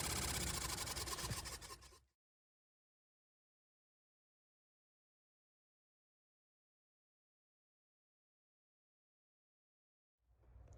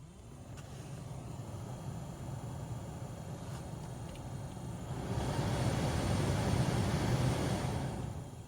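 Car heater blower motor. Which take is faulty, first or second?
first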